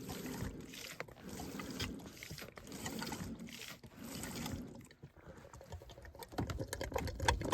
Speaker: concrete sounds like it's flowing now have to get another G the water up here it's at least taking it now